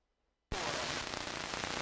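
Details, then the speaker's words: Vintage tube-type CB radio transmission: harsh hissy crunching and crackling through the audio; operator suspects a failing mic cable. "I think I got a bad mic cable. You can hear You can hear it crunching and crackling. That's my H special mic cable. So, it figures it figures it would be going bad at some point."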